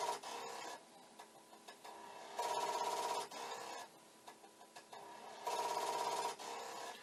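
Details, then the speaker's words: Commodore 1541 disk drive for the C64, running a repeated disk command: steady mechanical rattling bursts about three per second as the head bangs repeatedly, but it never stops and the drive never reads. "what it should do if it suddenly decides it's okay is the light should just start flashing and the head banging should stop but it is not happening"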